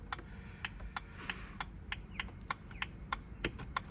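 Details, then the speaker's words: BMW E92 325 six-speed manual coupe, original instrument cluster plugged in and switched on: crisp, evenly spaced indicator clicks about three per second over a faint hum, confirming the original cluster causes the missing tick; normal turn signal ticking. "Tamper dot went straight on, but we have a ticking sound."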